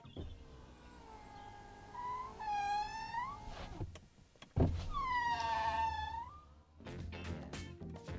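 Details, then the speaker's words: Brand-new Ferrari Roma: squeaky, wavering tones rising and falling as the power window moves up and down each way; abnormal window mechanism noise, cause unknown. "Brand new car, and it makes this noise when you put the window up and down."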